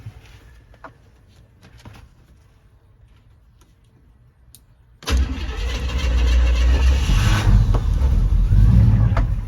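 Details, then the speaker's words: 1972 Chevy C10 with a 350 V8 and a 350 three-speed automatic, first start in years after adding 10 gallons of fuel: it catches and settles into a steady, even, deep idle with no misses or knocks. It had just needed more fuel. "Well, there you go. It just needed some more fuel, I guess. It's pretty neat."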